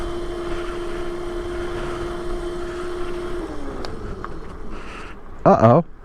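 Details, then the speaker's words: Razor RSF650 electric mini bike being ridden: a steady motor whine drops in pitch and dies about 3.5 seconds in as the power flips off. Motor cutting out. "it just cut out it also just flipped off though that is weird"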